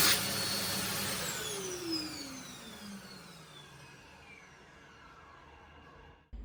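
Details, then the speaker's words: Mitsubishi U2 hand dryer built April 2023, filmed two weeks after installation with very little use: steady high-pitched fan rush and a smooth, falling motor whine at shutdown; healthy normal run-down. "let's first have a look at two examples of how eur2 are supposed to sound pay close attention to the shut Downs"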